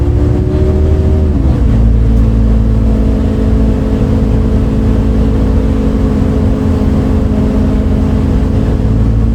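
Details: Recorded 07-03-2022 aboard 2008 MAN Lion's City A37 bus 3477 (MAN D0836 LOH 63 diesel, ZF Ecomat 6HP automatic) on line 8 Eindhoven. A loud steady diesel drone with an odd hum that drops in pitch early, then holds level; cause unknown.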